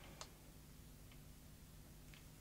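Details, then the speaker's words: Sony CCD-TR202E Video8 camcorder with a stuck tape, powered from a bench supply with its current limit set around an amp: sharp irregular clicks about once a second over a faint hum as the supply trips on overcurrent; raising the limit fixed it. "actually i'm seeing the uh power supply tripping out so i'm going to raise the current limit on it"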